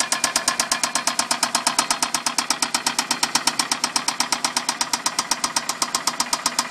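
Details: Toyota Solara petrol engine right after startup: a sharp, rapid, steady knocking, roughly ten raps a second, at idle; the cause is unknown.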